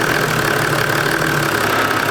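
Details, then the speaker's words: Toyota Land Cruiser 80 Series 1HD-T diesel at very soft idle after an alternator replacement: steady idle with a constant buzzy vibration from something broken inside the muffler. "And if you're wondering what that noise is, that's my exhaust. The muffler's got something broken in it, so it vibrates like hell."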